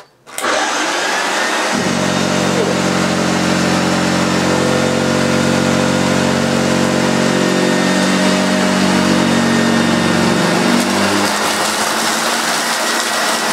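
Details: Hoover Junior 1436 Mk1, early plastic-hood model, running on carpet: steady motor hum with a strong even beating from the brush roll, no rattles or labouring; agitator running healthy.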